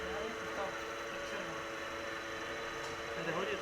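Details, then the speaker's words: 2006 Renault Modus 1.6 at 224,000 km, idling after timing belt service: steady mid-range droning hum from the AC compressor; worn compressor bearings need an overhaul. "bu ses Ama senin kompresörümde de sıkıntı var klima kompresörü de uğultu yapıyor"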